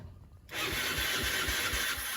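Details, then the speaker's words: Rebuilt Yamaha Mio Sporty with new battery and fresh fuel, first start after rebuild: quiet, then catches at once and settles into a steady, even idle putter of about four beats a second; normal healthy start. "Bismillahirrahmanirrahim, semoga nyala. Duh, orang murup bro, nah ini murup kok."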